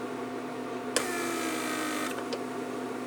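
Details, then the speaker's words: Repaired 1999 Mercedes S-class S500 door lock PSE pump on bench test: deliberate pressure leak makes the pump click on, run about a second, click off and repeat, short-cycling, which can burn the motor. "This is pressure leak. See, there it goes. So as you saw, when you have a little pressure leak or a little vacuum leak, pump cycles. That's what you do not want."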